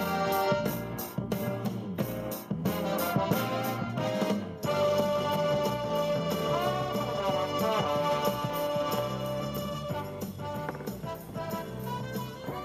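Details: 2005 Scion xB driver's side door speaker after repairing the blown speaker: plays keyboard-heavy music cleanly with no buzzing, rattling or distortion; repair successful.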